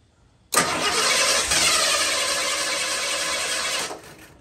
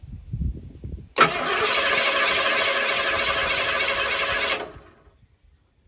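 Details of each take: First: Warm engine with a weak ignition coil before swapping to a good coil: cranks about three seconds with a faint kick or two, briefly starts then dies; hard start from weak coil. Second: 1983 Ford with a separate high-voltage ignition coil, cranked by jumping the fender-mounted solenoid with the known-good coil fitted: two strong even cranking bursts around 200 a minute, no dragging; cranking normal.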